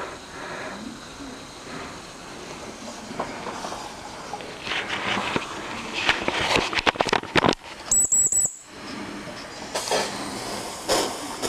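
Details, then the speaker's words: Vintage 1974 Mamod TE1A steam tractor on first steaming: chuffing hiss and rattle from the little engine with a brief high squeal under load from its loose drive belt. "This belt's loose, but grandson Josh has bought him some new belts for this."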